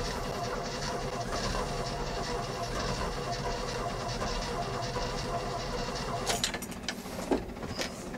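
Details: 1981 Jeep J20 4WD pickup with a 360 AMC V8, first start after sitting: oil pressure comes up but the engine idles lumpy and uneven, stumbling and misfiring with a faint clatter over a low rumble; fuel leaking at the carburetor base.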